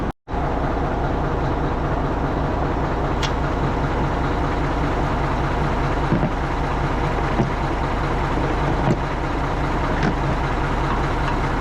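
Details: Tri-axle dump truck diesel after a $5 fix of a dead-battery no-start, ground connections redone: steady, even idle with low unchanging rumble, no knocks or misses; running healthy.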